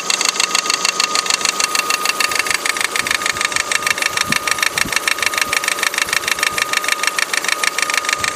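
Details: Opel Astra H with the Z16XEP engine at idle: sharp, diesel-like metallic clatter. The rollers were not replaced at the timing belt change, and the tensioner visibly vibrates and slaps against the engine block.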